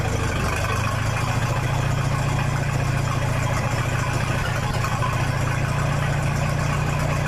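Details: 1966 U302 after corrected rebuild issues, out under its own power: steady, even low idle with loud open exhaust bark, no knocks or misses; normal healthy idle.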